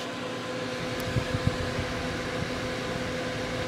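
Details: Gigabyte G1 R9 390 graphics card after fan replacement with 87mm 4-pin dual ball bearing PLA09215B12H fans: smooth continuous airflow rush with faint steady tone, no rattle or grind; fans running evenly and fine.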